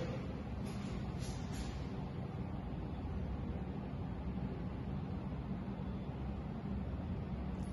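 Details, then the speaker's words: O General 3.75-ton split ducted air conditioner in a villa, indoor unit at full (fourth) fan speed, access door closed: soft even rush of air with no rattles, tones or surging; normal quiet operation. "صوت الوحده الداخليه ايضا مثل ما شايفين بعد اغلاق الاكسس دور الصوت ناعم جدا يعني اذا بيتكلم الشخص نهائيا ما بيسمع صوت حتى الماكينه"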